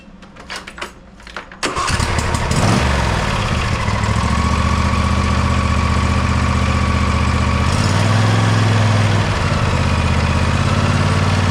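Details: John Deere lawn tractor single-cylinder after converting from the Easy Change oil filter to a regular filter, oil at full: brief cranking, catches within two seconds and settles into a steady, even idle; normal start.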